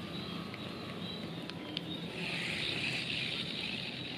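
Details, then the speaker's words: Budget spinning reel spun by hand after lubricating: dry, gritty rasp with faint clicks, still noisy; worn ball bearing then replaced with new one. "masih masih keras ya suaranya ya Oke jadi kedengarannya juga masih berisik ya"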